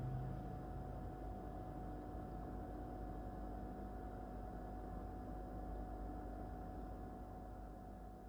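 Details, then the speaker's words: Whirlpool No Frost Inverter refrigerator, first months of use, microphone held very close: steady low hum with a faint constant tone, normal compressor running, not judged a problem noise. "es un sonido que para mí particularmente en mi impresión no es un soni"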